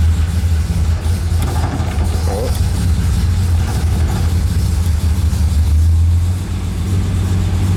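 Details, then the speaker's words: Barn-find classic started cold on choke after reconnecting the battery, with the fuel pumps heard first: the engine catches and settles into a steady, even low rumble with no knocks or misses; normal cold start and idle. "start so there we go so it is working"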